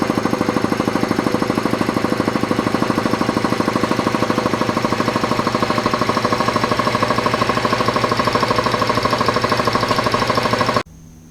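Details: Newly installed Craftsman 80-gallon air compressor pressurizing the tank: fast, steady piston thumping at an even rate, no knocks or misses, then cutting off a little shy of 175; a healthy pump.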